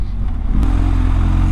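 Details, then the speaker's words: 2022 BMW R1250GS on 50/50 TrailMax Mission tires at cruising speed: steady low drone under engine and road noise, ordinary tread hum, nothing wrong. "it makes a a humming sign off of the road which again is pretty normal for a 50 50 Tire nothing major"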